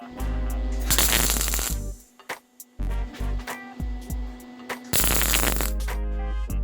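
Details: MIG welding a cracked mini bike frame (Alexander Reynolds Arco Bushwacker) and a triangle gusset: steady crackling sizzle in second-long bursts, no popping or sputtering, arc at the right heat; wire spool had been bird nesting and slipping earlier.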